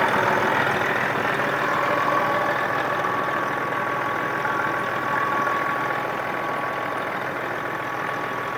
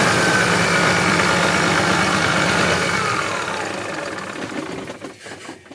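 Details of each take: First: Circa 2000 Freightliner diesel truck, sat six years: steady even idle clatter with no misses or surging, oil pressure over 50 at idle; normal idle. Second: About 2000 Freightliner diesel truck, sat six years in a yard, cranked with ether: steady cranking about four turns a second for four seconds, then winds down without firing; cranks but won't start, possibly not getting fuel yet.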